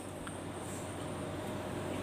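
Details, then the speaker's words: Split-wall A/C indoor blower fan that had stopped turning, tested as speed is raised from low setting: steady smooth airflow hum with no rubbing, ticking or wobble, getting smoother as speed rises; the blower spins evenly and sounds healthy. "semakin keras putarannya suaranya juga ngasih halus"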